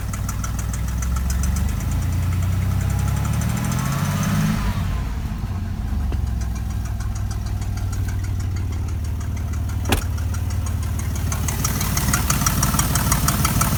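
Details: 1993 Chevy 4.3L V6 at idle: light, quick ticking over the low engine hum; owner suspects an exhaust leak, not confirmed.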